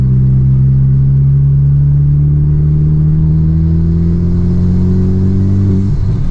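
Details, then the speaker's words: FK8 Civic Type R just fitted with a PRL V2 flex fuel kit, PTFE hose and Stage 3 flex tune. While driving, a buzzy edge rises with revs whenever throttle is applied and goes away on decel; it boosts and shifts fine. Owner suspects the PTFE hose; unconfirmed. "Anytime the throttle is applied, it's making this like buzzing sound."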